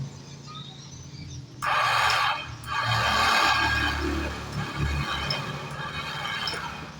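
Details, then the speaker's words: Honda Vario 110/Beat scooter electric starter wired to bypass the weak CDI relay (battery 11.38 V, dropping to 10 V when cranking): sudden whirring spin-up with a thin high whine and no catch. Starter motor spins, but a faulty pinion/starter clutch is suspected. "teman-teman untuk dinamternya sudah bisa mutar ya tetapi tidak bisa mengantarkan itu ya untuk pinionnya kayaknya untuk granatnya itu bermasalah kayaknya ini teman-teman"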